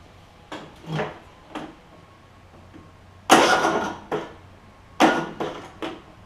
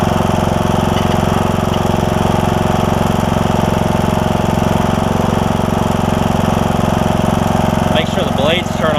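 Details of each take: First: John Deere E100 mower, 17.5hp Briggs, 80 hours, good starter and battery: short uneven cranking bursts that never catch and stop dead each time; broken compression release on the camshaft causing hard starting, camshaft to be replaced. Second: John Deere E100 mower, 17.5hp Briggs, 80 hours, after new camshaft fixed broken compression release and hard starting: steady, even drone with constant beat and no misses or knocks; starts right up and runs healthily, oil burning off muffler.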